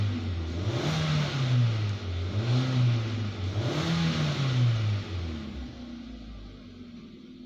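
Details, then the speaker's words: 2018 Hyundai Creta GS with customer complaint of power loss, after values reset with scan tool: smooth even rise and fall through several throttle blips, no stumbles or pops; normal revving, no misfires. "right so we definitely don't have no this fire still"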